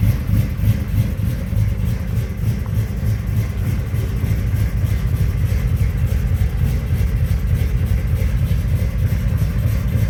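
Deep, steady V8 rumble at idle, firing evenly with no knocks or misses; engine sounds healthy after a cold start.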